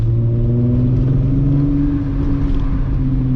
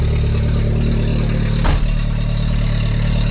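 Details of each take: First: VW MK3 VR6 on a Sunday cruise after new spark plugs were fitted: smooth, even rise in pitch under light throttle with no stumbles, pulling strongly; normal acceleration. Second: VW Mk3 at idle after a temporary exhaust repair: steady idle with raspy, uneven puffing over the engine note; much quieter than before but exhaust still leaking, a flexible exhaust pipe section is suggested as the proper fix.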